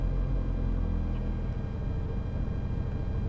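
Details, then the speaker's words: Opel Zafira A 1.8i (X18XE1), completely cold engine, no fault codes, ECU previously repaired: idle stumbles with uneven low thumps right after start, worsening with throttle; cold start misfire with rich mixture, mass airflow sensor reading high (36 kg/h) suspected. "So okay, let's start up the car. Yeah, it started right away to misfire."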